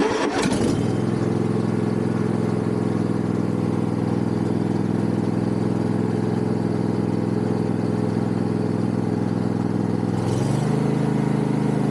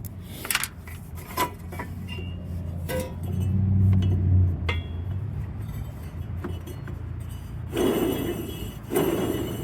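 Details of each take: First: Yard Machines MTD riding mower after tightening loose engine mounting bolts: engine runs at steady throttle with no knocking, then spools down smoothly; earlier knock on throttle-up gone, no play, fixed. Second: Yard Machines MTD riding mower, deck belt removed, spindle spun by hand: uneven rough rumble with dry clinks; bad spindle bearing, middle one also bad, rebuild kit being considered.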